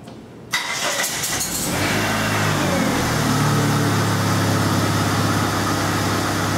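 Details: 1997 Dodge Neon 2.0L, first crank after repairing broken crankshaft position sensor wiring that caused no-start, no spark and code P0320; short crank catches quickly and settles into a steady, even idle around 3.5 beats per second; clean healthy start.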